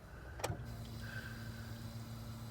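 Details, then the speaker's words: 1997 Honda Civic, key on after fuel filter replacement: faint steady low hum for a couple of seconds after a click, pump priming without strain; fuel flowing, no leaks. Normal fuel pump priming. "Get the gas flowing. So go back 1, and then up again. Make sure I'm not leaking. I can hear gas flowing."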